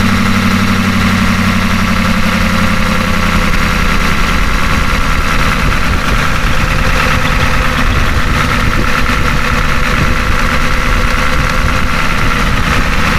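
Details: Ford F250 with a 6.9 IDI diesel just after injection pump replacement: deep, steady clatter settling into an even idle with no misses or odd knocks. There is a slight idle surge, which the owner thinks may need more fuel cycles.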